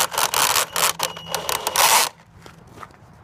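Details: Axial Yeti RC truck: harsh, scratchy grinding in rapid uneven bursts from the drivetrain, then it goes quiet.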